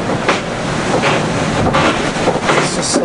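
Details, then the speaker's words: Vendee Globe 2004-5 yacht, keel rams failed and keel lashed, 25 knots of breeze, 1,000 miles from finish: loud rough grinding in irregular surges with boat motion, front keel bearing wearing on the main pin. "I'm not sure if you can hear that gut-wrenching sound in the background, but that's the keel, the front bearing of the keel wearing on the main pin, and we're in 25 knots of breeze."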